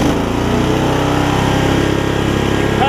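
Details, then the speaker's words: Older Murray riding mower with its engine refitted after a governor problem: single-cylinder engine runs fast, then bogs and sags when the blades engage, failing to hold speed; governor issue suspected despite correct adjustment, possibly internal engine failure. "Here it's running really fast, but then when you turn it off, or when you turn the blades on, it starts bogging down. So it's got something going on with the governor here."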